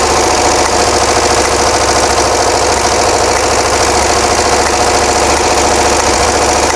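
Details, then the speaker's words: 1982 VW Vanagon flat-four converted from fuel injection to single 38mm carburetor, at idle: rough, uneven clatter with irregular popping from a front-side cylinder; suspected valve sticking open or needing adjustment, not confirmed. "I don't know if you can hear the popping you probably can we have a cylinder on the front side that is not happy um that's that high pit pop pop pop so valve issue maybe"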